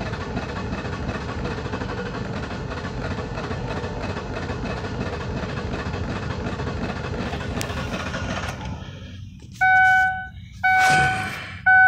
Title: 2004 ford taurus ses 3.0l v6 vin 2 Cranking but won't start please help